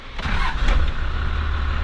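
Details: Hotshot truck diesel with earlier cooling issues, three gallons of coolant just bought: short crank, catches almost at once and settles to a steady, deep diesel idle; normal quick start.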